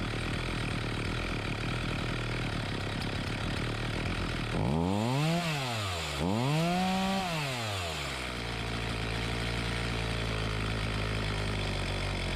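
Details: Homelite 4218C chainsaw that bogged and stalled, after tightening the carburetor, readjusting mixture screws and fresh fuel: even idle climbs cleanly through two quick blips and settles back without bogging or stalling.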